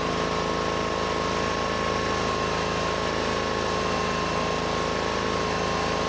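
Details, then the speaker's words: Rusty Honda 6500 W electric-start generator after warming up: even, steady drone, constant pitch, no misses or knocks; rpm came down, normal idle, though no electrical output yet. "after warming up the rpm went down looks okay so far"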